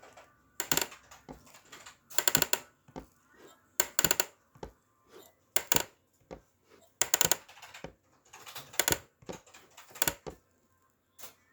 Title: MIUZ Ergonomic Mesh Office Chair clicking/popping sound